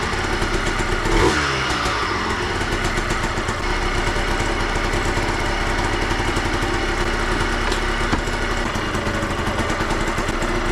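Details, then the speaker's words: 2003 Yamaha Blaster two-stroke, first start after full engine rebuild with new aftermarket parts: fires on the first pull, settles straight into a crisp steady idle with even rapid beat; sounds tight and healthy. "all right she fired right up she sounds good she sounds nice and tight she idles right away everything checks out to be good"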